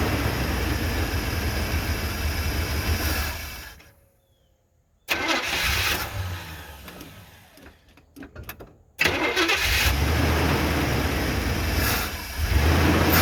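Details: 1978 Chevy C10 V8 on new plugs and plug wires after its first oil change in 10 years: it cranks and catches, pauses briefly, then settles into a steady, even idle with no knocks or misses.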